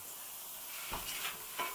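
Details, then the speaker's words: Road tubeless bicycle tyre with sealant, re-inflated toward 50 psi after it failed at 30 psi; faint steady hiss with sharper spurts from about four holes of roughly 1 mm or less; the sealant has not sealed them. "yeah that hole there is the air is leaking out through that so it hasn't sealed that one is leaking"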